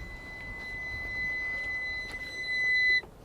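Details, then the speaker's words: 2005 Honda Acty SDX HA7 4WD kei truck, 36,500 km, reversing warning beeper: a steady, piercing high-pitched tone holds about two seconds, then cuts off. Beeper working. "that is quite a piercing beep isn't it so we'll just turn that off again"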